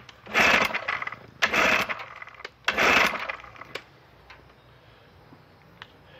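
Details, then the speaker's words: 1968 Evinrude 9.5 HP outboard, unrun for years, fresh gas-oil mix, choked: three pull-start bursts with no firing; motor getting no fuel, varnish in carburetor bottom, high-speed jet likely stuck; no-start from fuel starvation. "motor wasn't getting any fuel all kinds of Varnish in the bottom of the carburetor most likely the highspeed jet is stuck"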